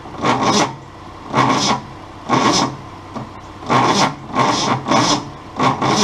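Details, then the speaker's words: 1966 Ford Mustang 200 cu in straight six, sluggish but not stuck, cranked with penetrating oil in the cylinders and spark plugs in hand tight: slow, heavy cranking with a rasping surge about once a second, the starter bogging on each compression stroke. "it just really struggles against compression"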